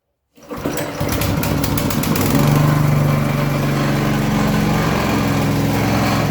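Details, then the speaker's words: Walk-behind cultivator single-cylinder engine after cylinder head replacement for a suspected burnt valve (the valve seat had actually come loose, likely from heat): starts on the first pull, runs evenly without misfiring and revs up smoothly. "все чтко не троїть роби рівно набирає рівно"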